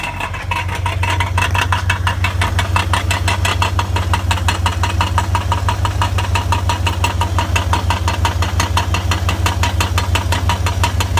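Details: 1999 BMW 540i, 186,000 miles, on start-up and revving: sharp, even metallic rattle about three beats a second over idle, louder from under the car than under the hood; engine rattle, source not pinned down.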